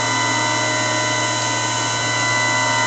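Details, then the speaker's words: TR1998 Cold War-era VHF AM aircraft radio transmitting at about 4.5 W, roughly 60-70% modulation: loud steady mechanical whine with several fixed tones and hum; set runs very noisily, cause unknown. "quite a noisy radio I guess on the aircraft the radio would be somewhere else other than where somebody's going to listen to it but it's quite noisy"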